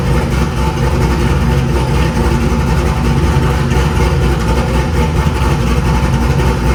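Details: 2000 cammed C5 Corvette V8 after replacing the crankshaft position sensor, which had made it need two cranks to start: steady, even idle with a deep, regular beat and no misses, stumbles or odd knocks; running healthy.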